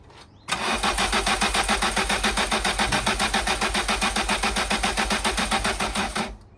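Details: MK2 Golf GTI during a compression test, fuel pump relay removed so no fuel: the starter cranks in a steady beat near 220 per minute for about six seconds without firing. Compression seems low; cause suspected, not confirmed.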